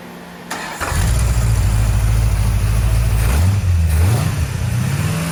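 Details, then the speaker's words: 1970 Plymouth Road Runner, freshly rebuilt 383 V8, first run in the car after a new temperature gauge, new upper hose, a fixed oil-pressure-line leak and a new fan switch: catches and settles into a deep steady rumble, no knocks or ticks; normal running. "All right, so we did a little test run. This is the first time it's been running in the car."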